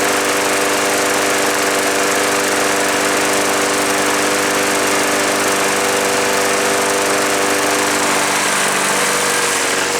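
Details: Craftsman push mower small single-cylinder engine running after the auto choke was inspected and repaired, choke tab left unadjusted; steady even buzzing for ten seconds with no stumbling or surging; normal running.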